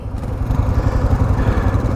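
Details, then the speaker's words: Kawasaki KLR 650 single labouring with deep, slow uneven thumping at low revs on a climb; geared too high, can only manage about 10–15 km/h, so the engine lugs. "You can hear my bike struggling, and that's because it's geared so high."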